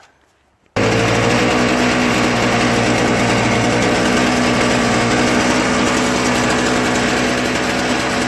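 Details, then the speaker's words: Toro Snow Commander 38602 single-stage electric-start snowblower after carburetor cleaning, bad gas drained, fuel lines cleaned and fresh gas added, needing several primes: catches after a short pause and settles into an even, fast buzzing run, no surging; normal running. "just needed a few more primes and I had to wait until the fuel got into the carburetor"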